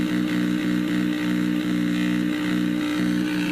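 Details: Cheap replacement laptop power adapter heard through the speakers, measured at 0.029 V AC leaking onto its DC output versus 0.001 V on a good adapter: steady low buzzing drone with faint pulse; switching noise from faulty adapter.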